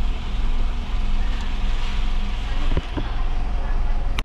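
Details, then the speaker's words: Honda Jazz (automatic), engine formerly seized now running, radiator just refilled with water, kept under 2,000 RPM; steady low smooth idle with no knocks or misses, fan roaring over it; no check engine light, normal idle. "Oh, walang check engine. Ayos. Ganda ng idling."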